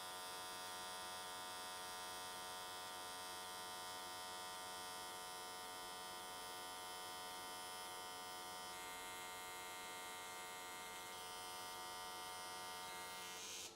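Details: AC TIG welding an S13 catch can, 95 Hz square wave, new settings for smoother welds: steady, even buzzing hiss, constant pitch, no pops or sputters. Normal, stable arc; whole way around in one session.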